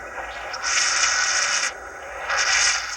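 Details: VCR playing a VHS-C compact tape of home movies: two long harsh hissing scrapes, each about a second, with quieter gaps; tape dragging in the transport before the VCR shuts down, player or tape at fault.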